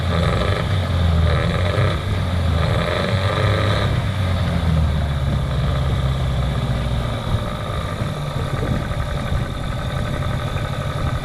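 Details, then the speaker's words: Catamaran diesel engine running again after a deep clean: a steady, low drone with an even beat and no misses or stumbles; normal smooth running. "alrighty so we've got this one up and running again pretty good right now"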